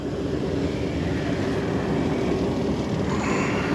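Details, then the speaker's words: Rooftop hot-air heating unit after replacing a broken blower belt on a no-heat call: steady even blower roar with burners lit, no squeal, slap or rattle; running normally, burners look good. "i don't know what's supposed to really pull that in but we're running oh let me put my meter on flame current the burners look good"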